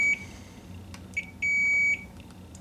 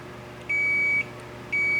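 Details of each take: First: K7000 19-inch arcade monitor chassis, 15 A fuse fitted instead of 1.5 A: short high meter beeps as probes touch each flyback position after testing diodes D13 and D14; good continuity everywhere. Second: K7000 19-inch arcade monitor chassis, 15 A fuse fitted where 1.5 A was specified: continuity meter on the removed horizontal output transistor gives two steady high beeps, a dead short; HOT shorted, critical safety cap not shorted.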